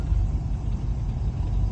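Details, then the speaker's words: Boat inboard engine at slightly raised throttle in neutral (gauge shows 3000 rpm but believed broken, likely about 1000): deep, even rumble, no knocks or misses; runs smoothly. "okay what is that doing exactly just putting more you're giving more gas to the a little higher okay"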